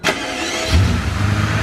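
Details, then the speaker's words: Mercedes S600 V12 after a failed coil pack (the part controls half the engine) was replaced to cure a misfire: quick crank, catches at once and settles into a smooth, even idle with no stumble or miss, and no check engine light. "Bingo, much better. There we go. And no check engine light."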